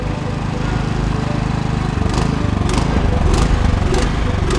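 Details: Troy-Bilt Vortex 2890 snowblower sat without fuel stabilizer: small petrol engine idles unevenly with a rhythmic pulsing surge; from a clogged low-idle carburetor jet, before cleaning.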